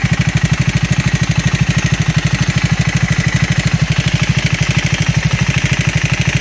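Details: Triumph 400 single (Scrambler 400X / Speed 400) idling with an even, quick thump and a light regular tapping over it; abnormal engine noise, cause unknown.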